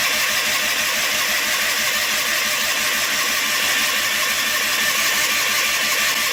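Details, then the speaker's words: John Deere 316 lawn tractor, cold start with gas in the tank; owner suspects it isn't getting fuel. Fast uneven cranking churn with no catch, just the starter spinning it over: cranks but won't fire. "No. Wow. She's really being stubborn."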